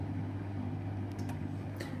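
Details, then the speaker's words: Miele dishwasher showing F19/F13 inlet/drain fault (defective board in water inlet pocket): steady even low hum of the drain pump running normally, no knocks or grinding; drain works, fault lies on inlet side. "ist das ist das Geräusch von der Ablaufpumpe das heißt Ablauf funktioniert jetzt"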